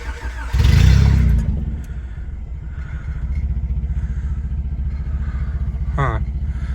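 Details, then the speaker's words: Low, lumpy idle of about four beats a second after a loud start-up flare, with the idle air control valve unplugged during an EGR valve delete, before the block-off plate goes on; it idles really low, starving for air. "Now it's idling really low, like really low. It's like giving it nothing."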